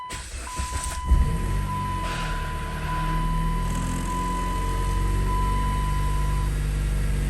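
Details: Dodge Caliber with a shake at idle in drive, no codes, motor mounts fine, after an OEM part behind the intake manifold was replaced: starter cranks briefly, engine catches and settles into a steady, even normal idle with a constant chime.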